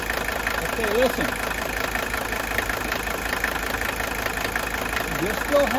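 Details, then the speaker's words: 1983 Mercedes 300D, OM617 diesel, healthy comparison engine at idle: steady idle with light quick ticking wandering in and out about four a second; ordinary intermittent injector nailing, normal. "has that sound of the injectors nailing, but notice it's a little bit intermittent. You can hear it kind of jumping back and forth there."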